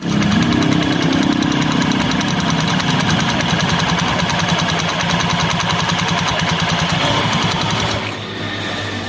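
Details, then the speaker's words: Scooter idling with a quick steady clattering knock and jingling from the belt drive (CVT) side; pulley face found not seating/expanding properly, drive fault suspected. "Nah jadi suaranya seperti itu ya Ada suara aneh bunyi deakdagdak kemudian suara kemerincing"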